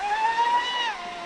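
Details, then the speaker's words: Traxxas Spartan RC boat on two 6S 5200mAh packs in parallel, 48mm RC Boat Bitz profile prop, full-throttle speed run: high clean whine holding pitch then easing smoothly, not labouring; normal full-throttle run. "You can hear it's not labouring, it's still doing the revs."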